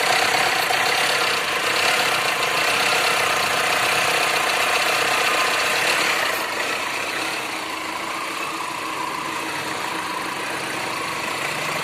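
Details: Tata Indica at 190,000 km: steady idle with a fairly regular tick, roughly three to four per second, over the engine hum; abnormal engine noise at idle, source not pinned down.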